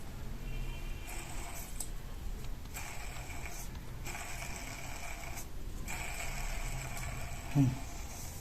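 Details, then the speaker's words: AC split indoor unit fan motor, opened up: rough uneven rumble with scratchy surges from a badly worn motor bearing, later replaced with a same-size bearing. "वास्तव में motor bearing में एक समस्या है। Bearing हालात और भी बदतर हो गए हैं।"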